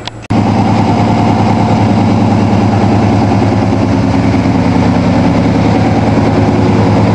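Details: 1987 Toyota Supra MKIII with rebuilt 350 Chevy Vortec V8 and 700R4, after resetting distributor cap, timing and valve lash, exhaust loose on manifolds: steady, even idle with deep low rumble, no misses or knocks; normal idle.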